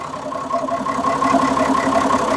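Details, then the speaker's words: Perkins diesel in an early-1970s RV on a 1966 GMC bus chassis, parked 30 years, idling: even, steady mid-pitched drone with no knocks or misses; running healthy. "we uh let that thing run for probably about 45 minutes sat there and idled and everything's running good held oil pressure even after it got warmed up real"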